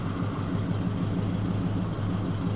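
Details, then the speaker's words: VW Scirocco at idle before manifold replacement: fast, light puffing tick riding the exhaust beat; owner suspects a holed exhaust manifold leaking gases into the engine bay, car vibrating more and more; to be replaced with stainless manifold, unconfirmed. "Bon on l'entend hein, que le collecteur il est percé hein. Ça... On entend un même au ralenti là. Donc je pense qu'il y a de l'échappement qui passe au niveau de la baie moteur."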